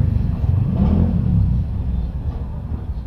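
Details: Yamaha YTX after repair: the noise came from three snapped bendix drive bolts behind the magneto side cover, which were replaced. Now a low, even engine rumble with no knock, rattle or grind; running smoothly.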